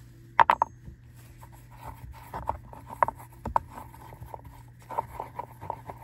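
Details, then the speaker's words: SUV cup holder and storage bin floors lined with non-woven felt tape, tested with a hard round object such as a ring. Only a few soft muffled taps and no hard rattle: the compartment is now quiet. "소리가 거의 안 나는 걸 알 수가 있습니다 여기에 나도 마찬가지죠 굉장 부드러운 소리만 나게 되죠"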